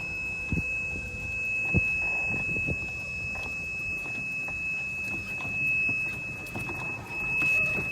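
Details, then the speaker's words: Golf cart driven around the right side of a green: steady high-pitched geofence warning tone over light knocks and cart noise; the geofence shuts the cart down, it can't go forward and must back up. "the geofence will engage and shut my cart down again the only way I can get out of this I can't go forward I have to back up"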